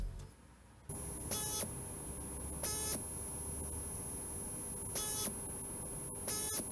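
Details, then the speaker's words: Stepper motor being test-driven at 12 volts by a microcontroller for an IBM PS/2 hard drive head fix, after correcting miswired coils to red-blue and green-black. Short, even bursts of thin stepping whine. Normal stepper operation. "let's try again with the correct wiring let's turn on 12 volts it is working"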